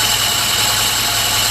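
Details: Alfa Romeo with SPICA injection pump, after pump adjustments to cure very rich running: a steady, even idle with a smooth hum, no misses or knocks, running cleanly while it warms up so the pump's back gap can be checked.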